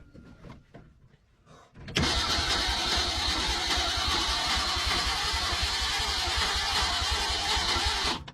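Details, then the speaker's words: 1961 engine being started after 30 years with points hooked up, starter fluid and a faster battery: quick even starter cranking for about six seconds with no firing; cranks but won't start, compression or spark suspected, not confirmed. "why ain't she firing it's getting fired to the point to the spark plugs we think is it sufficient got a faster battery we have compression do we have compression that's the issue"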